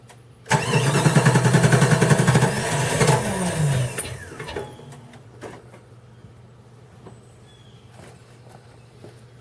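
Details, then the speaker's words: Chrysler 318 (5.2L V8) Jeep ZJ, full-time 4WD, cold below about 50°F: about 3.5 seconds of regular cranking, roughly three beats a second, without catching. Starts fine warm, above 60°F, or with a heater underneath. Sensors replaced; owner suspects the ECM. "I can keep on doing that he'll finally crank and win the smooze out it'll run fine and then once it gets warm rest of the day it'll crank and run perfect"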